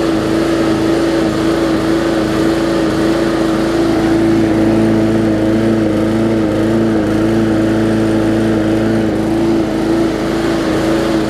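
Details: Bolens push mower with a Briggs & Stratton engine (classic or newer OHV), after no-start repair; carburetor gasket fuel-air mix problem suspected. Constant hum at a firm, steady pitch without surging or sputtering; running evenly and healthy.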